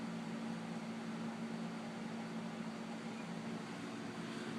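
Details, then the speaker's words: 1999 Lakewood 20-inch box fan, model 200i, never cleaned, before cleaning: steady hum and weak air rush on medium, moving less air than it normally would on low, because of thick dust on the grills and blades. "it's moving less here than they normally do on low like a lot less air"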